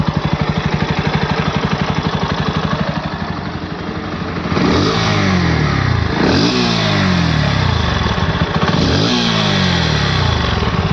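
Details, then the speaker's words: Bajaj Pulsar NS160 engine running with a few throttle blips, recorded on phone and compared with another rider's NS160 clip; even low thrum about four beats a second, picks up cleanly; heavy "gad gad" sound judged the same on both, phone recording effect. Normal running. "अगर इस हिसाब से देखने जाऊ ना तो दोनों तरफ दोनों आवाजें सेम टू सेम ही लग रही है जो गड़ गड़ गड़ गड़ की बज रही है वो मतलब फोन रिकॉर्ड कर रहा है इस चीज को"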